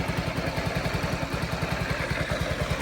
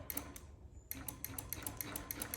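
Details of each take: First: 2022 Honda Ruckus scooter after a no-start, idle screw turned up slightly, still cold: small single-cylinder putting at idle about three pulses a second, slightly uneven, now running on its own while purging suspected dirty fuel. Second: Honda Ruckus scooter, key on, start button pressed with brake pulled: rapid even clicking of about seven a second, starter solenoid chattering, no crank; dead battery, or possibly a loose connection.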